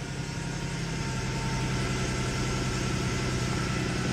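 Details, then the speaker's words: 2004 Jaguar S-Type at idle after start: loud uneven idle with irregular stumbles about three times a second, terrible misfire. "man we've still got a terrible misfire"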